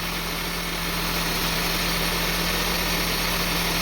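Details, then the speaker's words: 2002 Honda CR-V 2.4 L with rough, hunting idle; sensor disconnected, engine sits at a steady fast idle with no hunting or surging, running smooth. "See, now the engine is running, but in high RPM. But it's running smooth."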